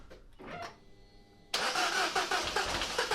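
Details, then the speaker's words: Peugeot 207 CC, EP6DT engine (owner's ID from VIN), cranked after cold compression test with fuses refitted. Starter churns with uneven catches about two a second, almost starting, never settling to idle; cause unknown. Crank no-start, fires briefly then dies. "almost wants to start it sort of fires and then"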